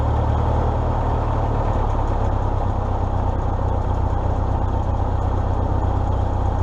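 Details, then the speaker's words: 1953 Farmall Super M tractor, 12-volt distributor ignition, after idle mixture and idle speed adjustment: even, steady low idle with consistent thump, no misses, knocks or hunting; normal idle. "and then I adjusted the idle mixture and idle speed and runs like a Swiss watch this thing runs beautifully"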